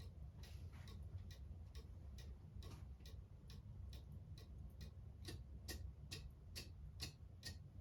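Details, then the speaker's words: Cuckoo clock on the wall after being moved left or right by ear until the tick evened out: steady, evenly spaced ticks about two per second over a low hum; in beat, running normally. "even now. Now your clock's in beat. So I positioned it by moving it to the left or the right until I get that nice even tick."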